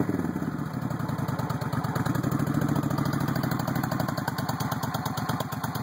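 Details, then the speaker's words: 1996 Suzuki VS1400 V-twin, cold, idle turned up a little: lumpy idle about eight to nine beats a second with occasional pops breaking the rhythm; cause of the popping unconfirmed. "turn the idle up a little bit it's kind of cold a little bit of popping still there but idle there it is"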